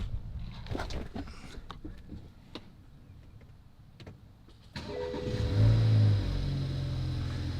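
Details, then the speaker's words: First start of a BMW with a refreshed junkyard replacement engine, new timing chain kit and all new seals, after 2 years off the road. It catches cleanly into a smooth, steady idle with no codes or smoke; a slight rattle in the bay is believed to be the regulator. "nice and smooth no codes no smoke either nice and quiet there is still that little rattle from the bay but I believe like I said that's just that regulator she's a little noisy but it is uh relatively quiet up here"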